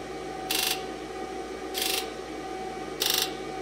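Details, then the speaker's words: 2002 Ford Super Duty 7.3 Power Stroke diesel, injector buzz test key-on with battery charger after reseating valve cover gasket connector for right-bank injector codes P1291/P1316: sharp clean buzz bursts over steady hum, no codes set; normal buzz test. "I'm gonna try injector Buzz test again sounds good survey says no codes"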